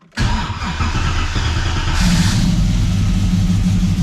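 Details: G62 project car after installing new ECU, external wiring and knock sensor wiring, on a battery that sat long: starter catches quickly, engine fires cleanly and settles into a steady idle after a brief rev.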